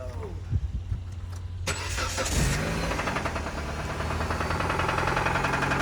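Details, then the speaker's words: 2008 Dodge Caliber that cuts off, restarts and runs rough: starter cranks, engine catches and runs rough with a heavy rhythmic bottom-end knock at idle; rod knock, engine likely needs replacing. "This thing knocking like the police. Um, yeah, buddy. I think you're going to need an engine."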